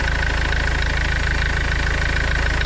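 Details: Renault Kangoo 1.5 dCi diesel after accessory belt change and oil change: even, steady idle clatter with smooth low rumble, no belt squeal or chirp; runs healthy.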